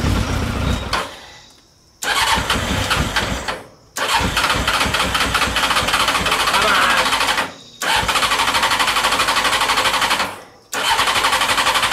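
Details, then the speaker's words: CBR600 carbureted engine in reverse trike, spark confirmed, starter needing a bump: repeated even cranking bursts with no catch; fuel line never reconnected to the carburetors, fuel pouring on the engine; cranks but no start, no fuel. "oh i never i never reconnected the fuel line to the carburetor oh whoopsies yeah i thought i smelled gas"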